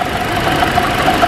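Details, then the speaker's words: Toyota Corolla that other garages diagnosed as timing chain or cylinder head trouble, heard through a stethoscope on the accessories at idle: a coarse, rhythmic rumble. Worn water pump bearing. "I always like to start on the back side and you can definitely hear a noticeable rumbling"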